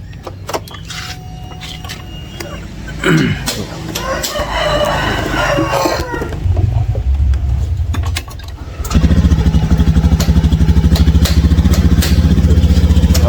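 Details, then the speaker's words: Honda Scoopy scooter that stumbles despite a new fuel filter, injector filter and fuel pump: engine runs with an uneven, stumbling beat, weak and reluctant to rev, roosters in background; cause not yet found. "Ini kayak enggak kuat ya, Teman-teman. Dengar enggak? Dan itu berat itu enggak mau ogugahan ya, Teman-teman."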